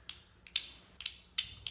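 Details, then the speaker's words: Metering diaphragm from a cube-type two-stroke carburetor, flexed between the fingers: sharp crisp crackles, about five in two seconds, where it should be soft and supple; stiff, hardened diaphragm needing replacement. "these things are supposed to move up and down freely they're supposed to be as soft as a piece of silk"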